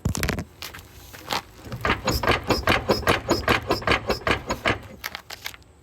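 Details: Jeep Cherokee XJ driving: rapid hollow clunks, two or three a second, heard in the cabin, caused by worn-out shock absorbers with no bushing left, which were replaced.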